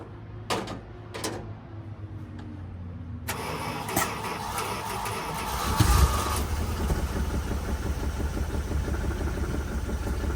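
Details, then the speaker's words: 1979 Dodge Ramcharger V8, ex-plow truck, started after sitting 15+ years with the fuel system primed and the air filter off: clicks, brief crank, then the engine catches into an even, quiet idle with no knocks; normal start and idle. "motor's quiet got put the air filter on plug those real quick oh now we got a car"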